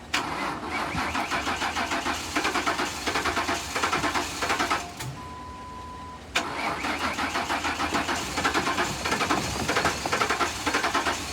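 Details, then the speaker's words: 2008 Ford Crown Victoria Police Interceptor, 158,000 on the odometer, out of service almost 2 years, on a jump box with fuel poured into the intake: cranking, a brief start with a steady misfire, then it shuts off. No-start. "Um, the engine sounds like it has a steady misfire. It's not happy. Let's see. It starts up and quickly shuts off."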